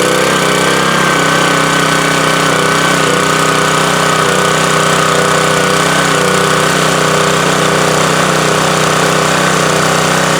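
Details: Subaru electric-start pressure washer being checked for an oil or fuel leak, fresh oil added, started on choke: a steady, fast single-cylinder drone with a constant pump whine above it and no stumbling: normal running.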